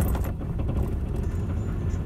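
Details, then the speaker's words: Ford Courier diesel (similar to a Ford Ranger) on a cold start needing throttle; it lumbers and stumbles unevenly with smoke from the exhaust, then smooths once running; suspected faulty glow plugs, about to be tested; rough cold start. "hear how rough that is and i've got my foot on the gas to get it going it's probably a bit hard to see on the camera there but we are popping smoke out the back"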